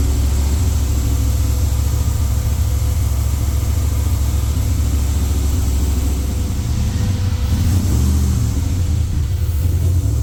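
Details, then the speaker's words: Freshly rebuilt LS V8 in a Jeep, new cam, not yet tuned, first fire-up; steady, deep fast idle held around 2000 rpm deliberately to seat the rings, idle to be lowered with a tune; high idle. "Running the RPMs up. Trying to keep it about two grand to help seat the rings right now."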